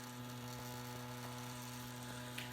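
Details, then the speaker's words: Crosley BC-654A receiver on PE-104A vibrator power supply fed 12 volts, after replacing capacitors and adding filter caps on the 84V B+ line: quiet steady buzz with low hum underneath; normal vibrator power supply operation. "well hello again printing followers here's another uh bc654a reception test on this receiver I don't have the transmitter working yet and you can hear the vibrating power supply album"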